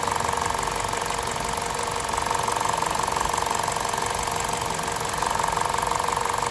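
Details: Warm VTI 120 engine at 137,700 km, idling with a fast, even ticking around three per second over a sharp metallic hiss, from the left side of the rocker cover; top-end valvetrain tick, cause undetermined.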